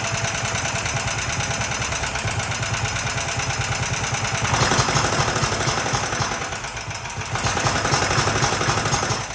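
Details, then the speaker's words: Predator 420 single-cylinder engine after valve lash fix, secondary clutch disengaged at low idle: steady, even beat picking up cleanly on throttle with no bogging, popping or pinging; normal running. "I'll also press on the gas a little bit so you can hear what it sounds like and that it's not bogging."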